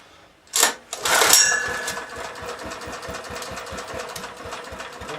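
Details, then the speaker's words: 1970s Honda E2500 generator running on choke: quick even firing pulses with a busy top end while fuel overflows from the carburetor; flooding carburetor, owner suspects a sticky float needle. "ah warming out the overflow ah well that means sticky needle"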